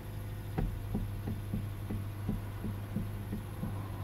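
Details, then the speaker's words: 2012 Hyundai Elantra with engine running, steering wheel turned: about three uneven knocks a second over the engine hum. Finding: likely steering column coupler knock. "okay so so then what it is is gonna be the steering copper they call it"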